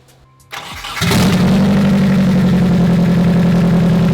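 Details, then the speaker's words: Turbo 240SX after the break-in oil change and oil priming: a short crank catches at once into a steady, even idle with no miss or knock. Runs fine, though the owner suspects a possible exhaust leak. "Alright you guys, so yeah, now I got the car back up and running,"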